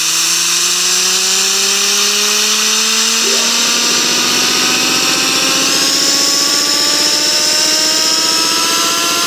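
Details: A loud droning hum climbs steadily in pitch as speed rises, likened to a revving Yamaha R1; worn, humming wheel bearing.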